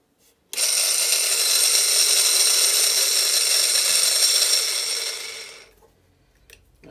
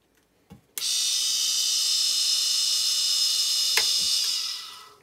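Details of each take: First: Bait boat motor not yet repaired, with very bad bearings. High, harsh whirring rattle with fast gritty chatter for about five seconds, then spins down; a rebuilt motor is much quieter. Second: Bait boat motor after main bearing replacement: smooth, even high-pitched whir holding steady about four seconds, then spinning down cleanly, much quieter than a motor with bad bearings; normal running.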